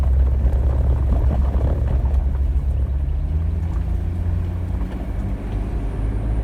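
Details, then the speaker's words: 2018 Jeep Wrangler with lifted suspension, driven over bumpy road after tightening the sway bar link: steady low road rumble with no pops, thumps or clunks; earlier passenger-side popping gone. "yeah it sounded very good through the bumps and the turnaround back there"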